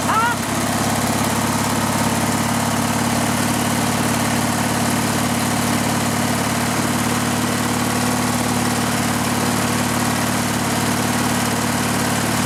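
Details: Riding lawn mower engine with the gas tank bypassed and fuel fed directly to the carburetor: steady, even note at constant speed, no stumbles or surging; engine fine, so the fault is a restriction in the fuel line or tank.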